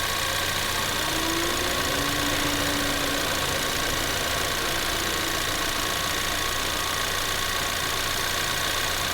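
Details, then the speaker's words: 2024 Ford Maverick XL AWD 2.0L EcoBoost, warm, idling with air conditioner on and blower stepped through low, medium and high: steady airy rush, no squeal or rattle; normal AC blower operation. "all right so you might have heard some different speeds of the fan I tried turning it on to all three settings the low medium and high setting"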